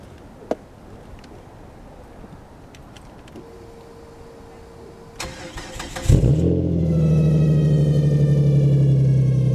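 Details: 2002 Dodge Intrepid SE 2.7 with blown transmission, sat since October and not run in about two weeks, in a cold snap: quiet cranking, then the engine catches cleanly and settles into an even, steady idle; normal cold start.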